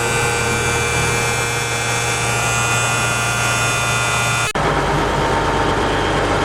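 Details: M816 military 5-ton wrecker with air-over-hydraulic brakes, diesel idling with air in the system; constant airy hiss, then a sudden shift in the noise; the pedal drops to the floor and air escapes, no outside leak found, cause unknown.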